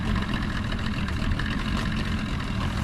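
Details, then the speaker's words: Restored 13ft Delta T850 race boat outboard on first water test: steady, even idle burble with no stumbles or hesitations; motor running great, idling nice. "Motor seems to be running great though. There's no It sounded good. hesitations in it. Sounds good. It's idling nice."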